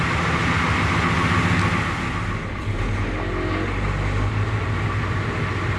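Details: International S1654 diesel truck test drive after oil cooler rebuild, new starter and new radiator: steady even drone under way with road rumble, no knocks, misses or squeals; runs healthy.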